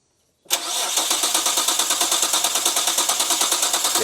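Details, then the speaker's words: Nissan R32 GT-R engine being revived after restoration, cranking evenly at about six pulses a second with no firing; fuel pressure confirmed and spark believed present, so an electronic fault is suspected, such as an unplugged ECU or hidden immobilizer. "It's not that. >> And then And we have fuel pressure. >> We definitely have fuel pressure now. So, now it's going to be something electronic, I'd say. Like ECU not plugged in or some sneaky immobilizer somewhere."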